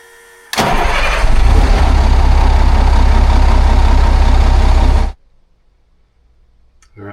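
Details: 2004 Monaco Windsor diesel pusher, 400 hp Cummins ISL, just after an oil and filter change with 15W-40: a quick crank, then it fires and settles into a deep, even idle with a steady beat and no knocks.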